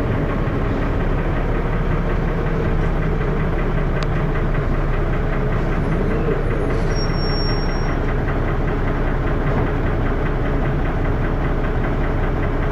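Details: First Manchester Dennis Arrow bus 31923, recorded onboard with a phone: loud diesel running with a heavy, steady knocking under rough, thrashy clatter; engine knocking, cause unknown.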